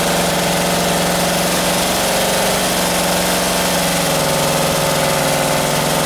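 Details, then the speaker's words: 1978 Camaro 350 V8, warmed to 190 degrees with exhaust fitted: steady idle with fast light valvetrain ticking; lifters rattling, valves still to be reset. "now with the exhaust on there i can hear the lifters rattling so now i can go and uh go through and reset those"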